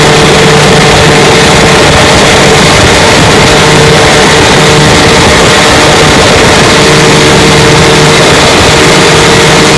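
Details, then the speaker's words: 1954 Johnson QD-15 10 HP two-stroke outboard after restoration, pushing a 14-foot boat about 17 mph: loud constant drone steady under load, no misses or knocking; pulling cleanly at speed. "She runs pretty good."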